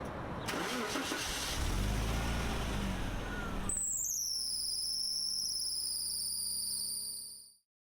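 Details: 1995-1997 Jaguar XJR6/XJ6 (X300) engine after a cold start settles to idle, then a loud, high, wavering screech rises from the noisy alternator; battery voltage fluctuates, alternator being replaced.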